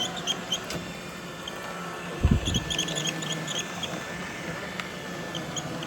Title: iRobot making squeaking sound.